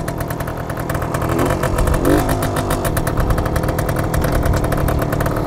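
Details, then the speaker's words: 1966 Suzuki K15 two-stroke on its apparently OEM exhaust: harsh, very loud crackling idle with a brief blip; the rider suspects something is wrong with the exhaust. "now the one thing I don't like about is it's loud like it's really really loud and I'm actually wondering if there's something wrong with the exhaust"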